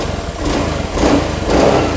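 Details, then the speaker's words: Honda Beat scooter that still misfired after rotak replacement, running with a workaround for a failing fuel pump; three short throttle blips climb and drop cleanly without stutter; normal revving. "kita naikkan gasnya ya tapi anakku sedang tidur Oke normal nggak ada brebet atau apa"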